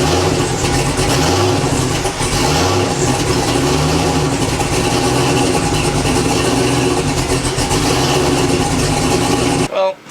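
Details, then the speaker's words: Hot start at 200 degrees after a starter replacement and fuel added: short crank, then steady idle with a few throttle blips; the new starter sounds unlike a stock one; normal hot start. "Runs again. Man, that starter sounds freaking weird. Listen to this thing. Definitely don't sound like no stock one."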